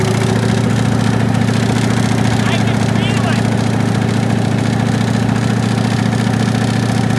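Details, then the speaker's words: 1965 Ford Mustang coupe V8 run with the transmission removed and no exhaust, RPM held: loud even drone with a fast regular knock underneath, felt at the front of the oil pan; source not yet found. "we have to run because we need to find screw if it's still knocking"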